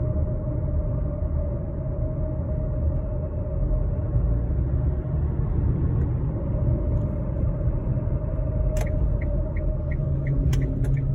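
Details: 2013 Kia Sportage LX AWD automatic coasting: steady whir/grind over road rumble, briefly dropping out over bumps, gone when accelerating, present in neutral, seemingly front driver's side. Turned out to be worn driveshaft center support bearing.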